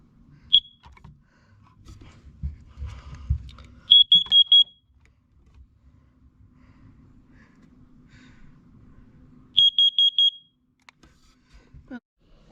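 Two bursts of four sharp, high-pitched beeps with handling noise between them: the carbon monoxide alarm's test sequence is working properly.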